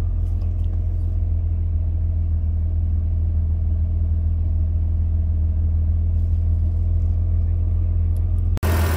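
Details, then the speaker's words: 2003 Mitsubishi Pajero NP, 3.8L V6 automatic, after a MAF sensor (P0100) fix with codes cleared: steady, even low rumble with no hunting or hesitation; normal smooth idle. "guys you can see now the RBM is all good sky is running fine no any hesitations it's very smooth now"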